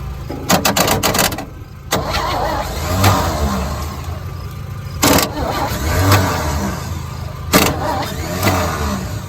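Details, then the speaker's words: 1963 one-ton truck that has sat in a yard a long time, fuel poured into the carburetor bowl: long runs of steady starter cranking with the odd cough, sounds like it wants to fire but never catches and runs. "Almost sounds like she wants to. Then. Yeah, she wants to. Come on, starter."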